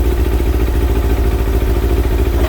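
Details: Kawasaki ZX6R J2 four-cylinder, warmed to 55, after new main jets and needle clip change: lumpy, slightly uneven idle with pulsing low beat; carburettors quite out of balance.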